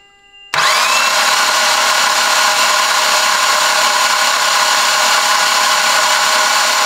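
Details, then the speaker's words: Mitsubishi Evo X with a brand-new engine, spark plugs and coils out and fuel pump fuse removed: a high, steady starter whir with no compression chugs while priming oil. Reached 40 psi oil pressure. "no there's no plugs or coils all right we got jared here he's in the inside he's gonna crank listening over and i'm gonna see if we build any oil pressure"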